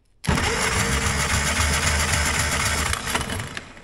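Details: Caterpillar pony motor, starter re-angled so it engages: starter spins the small engine with an even, rhythmic chug about four beats a second; compression later measured at about 95–98 PSI on both cylinders, even and healthy.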